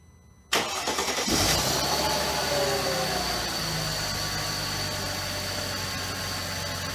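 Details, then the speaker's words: Mercedes C32 AMG after replacing the noisy top idler pulley and bearing and a second oil change: cranks, catches cleanly and settles into a steady even idle with only a faint whine left; normal start and idle. "so I don't really hear some of the wine that I heard before kind of feels like I'm a steer still here a little bit"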